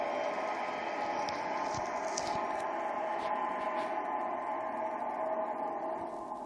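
A steady high-pitched ring holds over the train's rumble through the tunnel; something is resonating, but the source isn't clear. Cause suspected, not confirmed.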